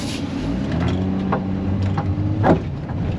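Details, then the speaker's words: Car under load while turning and accelerating: engine pull with a sharp pop about every wheel rotation; left front CV axle with cracked boot is bad. "you turn the wheel and accelerate it goes pop every tire rotation"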